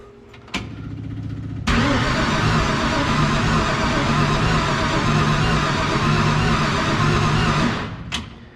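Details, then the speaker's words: 1966 Mustang, unchecked carburetor, second start attempt after 40 years: starter churns evenly about six seconds, never catches; cranks without starting, owner suspects insufficient fuel. "I don't know man I've kind of got this this feeling like it might not start part you know let's just see if we're getting fuel"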